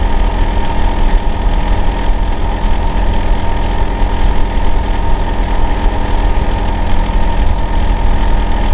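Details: Neighbour's Hitachi air conditioner outdoor unit, running year-round and especially loud in summer and winter, heard during winter, keeping the owner awake at night: a steady, heavy low droning hum with a constant tone on top, unchanging, unusually loud.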